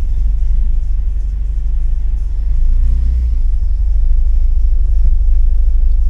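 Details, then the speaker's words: 1979 Porsche 924, cold idle around 700–800 rpm, oil pressure and voltage good, alternator washer moved to try to stop a tick: deep even rumble with no knocks or stumbles; engine sounds healthy. "voltage is good at idle it doesn't uh like it's around 700 per idle 7 or 800 when it's cold"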